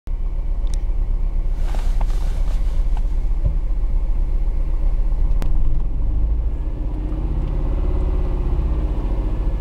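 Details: Engine misfire recorded from inside the car (155): the idle rumble stumbles and lurches unevenly with no steady beat. The cause is unknown.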